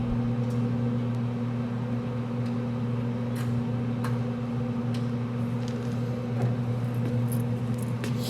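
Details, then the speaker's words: Pit Boss pellet grill auger that would not turn, running after clearing it out. Steady low electric motor hum with no binding, stalling or clicking; the auger turns and feeds normally. "sounds like it's working pretty"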